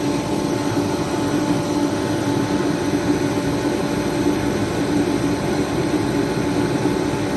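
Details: Remington 135 (REMT-135T-KFA-O) forced-air heater, previously not igniting or spraying fuel, repaired and pump pressure being set to 5 PSI; constant deep burner roar with even fan rush, no sputtering or surging; normal running.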